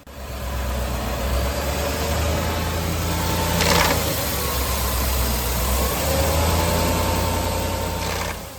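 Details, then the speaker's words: 2018 Ford F-150 5.0 Coyote replacement engine under 10k miles, after two cam phaser sets; in gear, foot on brake, load on and off: engine labours with faint uneven top-end knocking, vibration felt at valve cover; suspected cam phaser not grabbing. "The second noise I was able to make happen repeatedly by loading the engine on and off while the truck is in gear and foot is on brake. The sound is clearly top end, and I can feel the vibration at the valve"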